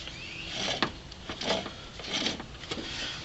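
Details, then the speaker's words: Alternator removed from a 1998 Land Rover Discovery I, spun by hand: each spin gives a dry, gritty rasping grind rising and fading about once a second; rough, needs replacing. "now that the alternator is out you can hear does not sound very"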